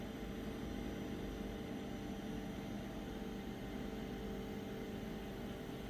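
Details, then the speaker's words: WIPPRO diesel heater trying to start, pump getting signal: fan whirs steadily with no fuel pump ticking, tapping doesn't help; dead fuel pump, leading to E10 code after failed starts. "yeah now it's stopped yeah fuel pump's not working all right so it's going through its uh second startup phase and eventually it'll stop trying to power it on because it's not working"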